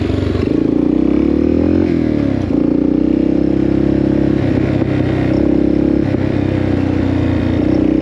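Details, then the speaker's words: 1984 Yamaha XT600 single-cylinder in the desert after swapping wrong-sized carb jets for correct standard jets, pilot screw at 1.5 turns: steady clean drone rising smoothly with throttle under load, no bogging or stumble; best it's ever run, strong power. "Actually, that seems better. Honestly, that seemed way better. >> Like we got power. >> That was the best it's ever been."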